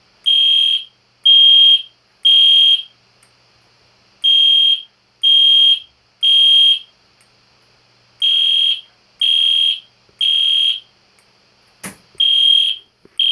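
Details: EST Genesis horn strobe fire alarm on test, indoors at night: loud, clean high-pitched horn blasts in about one-second bursts with short pauses, meant to resemble a classic Spectre alert but higher pitched; normal alarm horn sounding.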